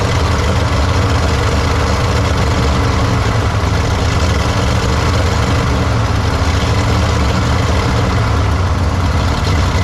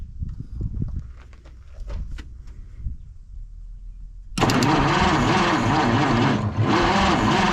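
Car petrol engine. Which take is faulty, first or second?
second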